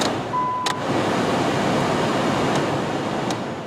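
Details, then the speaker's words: 2001 Nissan Sentra heater blower on high after clearing acorns and debris from the housing: steady even rush of air with no wobble, rattle or thumping; vibration fixed, running much smoother. "Let's see what it sounds like now. Ooh, much smoother."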